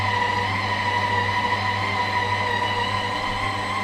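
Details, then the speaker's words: Ooni Halo Pro spiral mixer, revived after sitting unused a long time, running without load: steady high-pitched winding whine over an even motor hum; cause unknown. "Now you can hear that winding noise."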